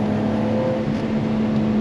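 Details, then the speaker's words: 1991 BMW 325i E30 six-cylinder, five-speed manual, on test drive under throttle: smooth, even pull with steady tone, no knocks or misses; runs very well with beautiful throttle response. "but as you can hear it runs so well right now with this car oh the throttle response is beautiful"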